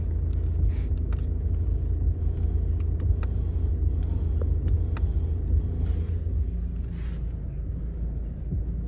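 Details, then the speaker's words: 2014 Seat Leon 1.6 TDI after the dust foam inside the front-left shock absorber was greased, with no parts replaced. Steady engine rumble and faint clicks as the wheel turns; the earlier squeak when steering is gone. "gıcırtı vardı arkadaşlar o gıcırtı kalmamış"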